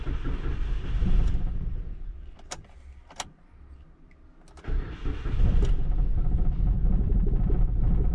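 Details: Suzuki Splash 1.0 after fuel pump replacement, first start with the pump heard working: the starter cranks a few seconds, then the engine catches to a slightly shaky idle from air in the fuel system and settles after a few seconds.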